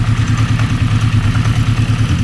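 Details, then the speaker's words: 1980 Honda CB650, warmed 10–15 minutes at idle, after oil change (low oil suspected contributor): steady idle with fast, even light tick; source not located, seemingly mid-engine near cam chain, though better than before. "I'll have have to listen where the clicking noise comes from. And in my opinion, it goes from the other side of the engine."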